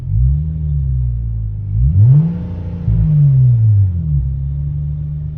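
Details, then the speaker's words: Hyundai Tiburon N/A build with new port-matched intake manifolds and a freshly installed tuned ECU. In neutral, off the gas, revs earlier hung near 2200. Here they climb with throttle, then sit around 1500 before easing down. The owner doesn't know the cause. "Um really the only complaint is we're still getting that RPM to hang a little bit before it comes back down. I don't really know what's going on with that."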